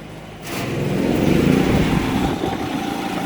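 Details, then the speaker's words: Predator 3500 generator with 131 hours, after an idle jet cleaning and idle adjustment for surging. It runs a Frigidaire 5000 BTU air conditioner on high cool, then an evaporative cooler on high fan and pump. Speed steps up sharply, then holds a steady, heavier drone: normal load response. "so definitely load there i'll go ahead and turn everything off"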